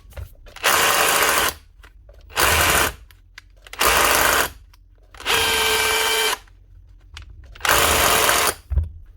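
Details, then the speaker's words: Makita DHR242 cordless SDS+ rotary hammer, tested on a concrete bench after repairing badly installed, pinched wiring that had left it clicking without rotating. Five fast, hard, even hammering bursts show it now strikes properly. "Just give her a wee test of concrete here. Make sure she's hitting this concrete bench. Yeah, that's it."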